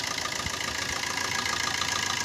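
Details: Maruti Suzuki Swift diesel, 134,438 km, with a white and black smoke complaint: steady idle with even clatter and no knocks or misses, and no back pressure, so the engine is sound; turbo, intercooler and injectors are to be checked.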